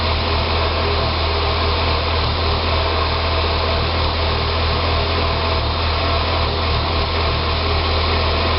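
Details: 2006 Saab 9-3 2.0T four-cylinder after an engine rebuild: an uneven, wavering idle hum with faint lumpy pulses; it runs great with throttle. Rough idle, possibly vacuum-related, unconfirmed.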